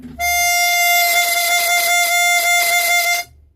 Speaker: And it gives you this oscillating beat where the Windsaver is being sucked in, and then the pressure takes it out again, and then it's sucked in again. And that's what you can hear there.